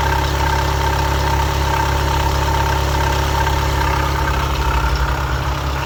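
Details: VW Golf 7 with the wheel arch opened: steady low idle with a faint, thin squeak chirping repeatedly over it; squeak at idle, source not clear from the sound alone.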